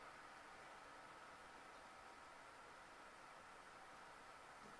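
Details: Freshly primed CPU and chipset water-cooling loops on a GTX 580 SLI rebuild, pumps run from a separate test PSU; quiet, steady, even hiss with a faint constant hum, no rattles or surging. Pump running smoothly.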